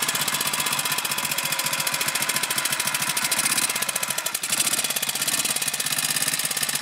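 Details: BSA M20 single-cylinder motorcycle: fast, even ticking rides over the engine's thump, stopping and resuming, hard to hear; an intermittent mechanical noise, source not yet identified.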